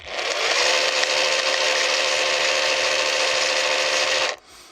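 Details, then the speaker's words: Parkside Performance jigsaw rebuilt from two dead machines and heavily regreased, test run at minimum speed after an odd noise at first switch-on. Steady, even high buzz for about four seconds with no knocking or catching, then a clean cutoff; seems to work. "ça a l'air de marcher pour le moment."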